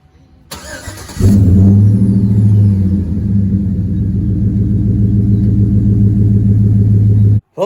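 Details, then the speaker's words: 2010 Chevrolet Silverado after replacing the faulty fuel pump control module and having it programmed at the dealer: brief crank, then catches into a smooth, even idle with a steady low hum; normal start and idle. "guys as you can see uh the silverado has been fixed"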